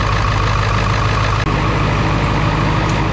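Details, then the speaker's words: 2001 Ford F-550 7.3L Powerstroke, first start after new OEM exhaust manifold gaskets, BD stainless up-pipes and turbo O-rings: deep, steady diesel idle with an even beat, no hiss or puffing; no exhaust leaks after a couple of minutes. "Obviously truck's only been running for a couple minutes, but no signs of any sort of leaks."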